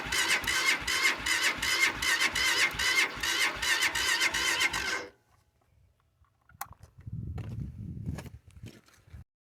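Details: Cold start attempt: starter spins in a quick, even rhythm of about 2.5 beats per second for five seconds, but the engine never catches. Cranks, no start.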